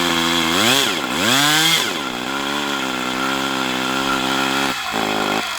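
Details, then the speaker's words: Brat 28 model glow engine rerun: high buzzy note swoops with throttle then holds with whirring edge like drag; bubbles from under glow plug head, possibly loose muffler, dark oil coming out as if from an exhaust leak; cause not pinned down. "Okay, so I got numerous issues here. I'm hearing a whirring sound."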